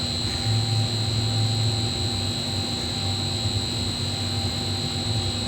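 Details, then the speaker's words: Golf course irrigation pump station being charged after Toro sprinkler head repair, VFD speed to be raised toward 110–114 PSI with isolation valves closed; steady pump hum and constant drive whine, no knocks or surges; normal pump operation. "now we're going to wait for this downall permit to get down to zero and then we will keep upping the BFD speed till we get between 110 and 114 PSI"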